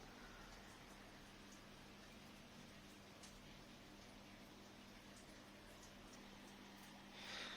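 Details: Alarko Trendy hermetic single-heat-exchanger combi boiler with hot water tap open, hot water going hot and cold; steady fan hum under gravelly crackling water rush, kettling from scaled heat exchanger, to be descaled with cleaning machine.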